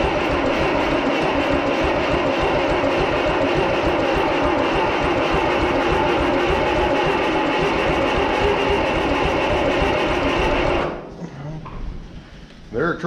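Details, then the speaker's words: 1955 Oliver OC3 Cletrac crawler, sat 20+ years, with Farmall M IH distributor, new coil, clean points, ether sprayed, choke held: steady chugging crank about four beats a second for eleven seconds, almost catches but never runs; timing suspected too advanced. "to do something so we're close and try and hold the choke close is there with that cable we try again we're really close now"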